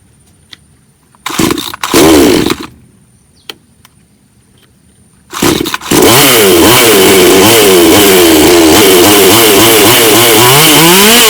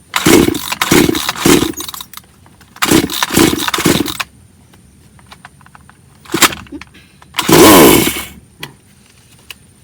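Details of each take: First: Bonto 5200 chainsaw after the no-start from spoiled fuel was sorted: after two short pulls it catches and holds a steady high buzz with even rhythm, running cleanly. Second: Bonto 5200 chainsaw that won't start: pull-cord bursts in quick groups of three, only a brief cough, never catching; stale, spoiled fuel is blamed for the no-start.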